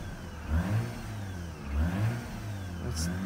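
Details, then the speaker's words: Mazda RX-8 rotary, flooded by long cranking, throttle floored while still cold just after start: uneven, stumbling revs surging and sagging as it clears fuel, smoking heavily, battery reading 14. "it's been flooded with me spinning so much so it needs to work this"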